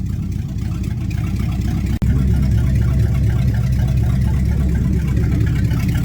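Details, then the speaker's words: Cold start at about 10°C after sitting overnight, carbureted engine running with no exhaust pipes; loud deep steady rumble with even quick beat, no knocks or misses; healthy but very loud. "beautiful God that sounds awesome wonder how much trouble if I'd get in running straight pipes just out right in here"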